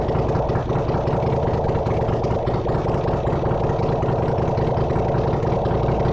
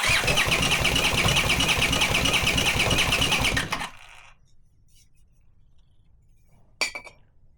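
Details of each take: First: Honda CX500 engine on a bench test rig, no exhaust, no coolant, no oil filter, already getting warm: steady, even idle with a consistent low thrum, no knocks or misses; runs well. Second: Leftover Honda CX500 engine on a test bench with no exhaust or cooling, cranked via a 12V wire: steady starter churning at about three beats a second, never firing; spark present but coil leads swapped, so firing at the wrong moment.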